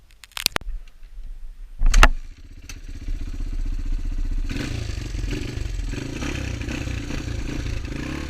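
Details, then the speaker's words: Honda XR200 single on its first test ride after a full transmission rebuild and other new parts: some clanks and handling at first, then it fires up and pulls smoothly and evenly, sounding healthy; rider says everything felt smooth. "Test ride went awesome. Everything felt smooth. It didn't smell smooth. It felt smooth."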